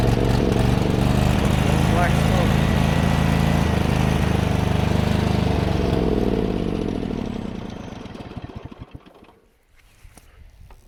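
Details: John Deere GT245 single-cylinder engine with a clogged air filter: runs loud and a bit uneven for about six seconds, then winds down and stops; running rich, owner also suspects overheating or possibly a blown head gasket.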